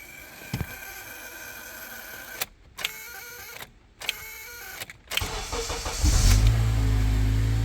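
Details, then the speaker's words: 2006 Acura TSX, intermittent hard or no start: electrical buzz in bursts from the dash left of the steering wheel, cutting in and out while cranking over several attempts until the engine catches; worn ignition switch under the panel. "so what that's showing me is that there's an issue with the ignition switch which is going to be right up here under that panel that's why that noise is coming from here"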